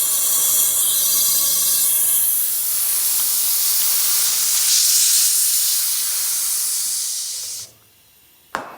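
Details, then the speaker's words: Segway GT2 rear tire being inflated after replacement: long steady air hiss, then a sharp single pop as the bead snaps onto the rim, showing it is seated and sealed; target pressure about 50–56 PSI. "That's that sound you want to hear. You want to beat it in like that. That's how you know it's nicely sealed when you hear it pop."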